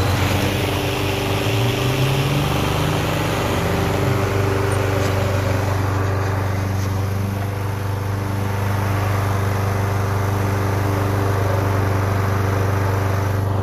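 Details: Toro Super Recycler GTS 6.0 hp self-propelled mower, after a complete gear drive rebuild for grinding and slipping, tested in the yard: steady engine drone lifts briefly in pitch, then runs even with no grinding or slipping; self-propel drive is fixed.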